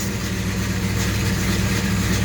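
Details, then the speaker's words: 1967 El Camino 427 big-block with MSD Atomic EFI, about 100 miles since install, cold first morning start at 62 degrees: deep, even burble at steady idle, no misses, knocks or hunting; healthy. "it is a little temperamental at times but usually it starts right up i've never actually had any problems starting it up again like i say this thing is uh is cold"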